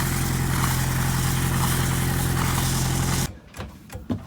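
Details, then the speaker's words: Boat diesel after bleeding the fuel system: steady rumble for three seconds, then it dies abruptly with no sputter; still stalls from air leaking into the fuel supply line, owner to bleed again. "i'm sad to report that the engine still stalls out i'm gonna bleed it again try it again in case we missed something"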